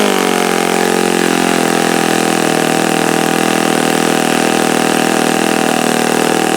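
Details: Repaired OS FS-48 Surpass four-stroke (blown-out crankcase repaired) on test stand, checking peak RPM on the given prop and bearings: even, steady high-revving drone, smooth unbroken note, no rattle or bearing growl; mixture richened after knocking heard. Healthy run.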